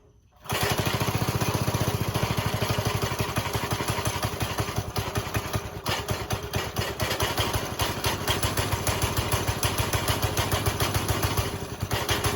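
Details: Briggs & Stratton 5.5 hp single-cylinder on a go-kart, after pull cord replacement: steady, even putt-putt that holds its pace; running normally.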